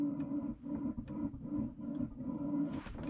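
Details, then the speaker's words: Coachmen Classic motorhome propane burner (appliance heater) just lit after igniter/12 V checks: low steady roar with mid-pitched hum, fluttering and sputtering irregularly; owner suspects air in the propane line, expects it to settle, flue may need adjustment. "i can hear it kind of sputtering a little bit because there was some air in the line"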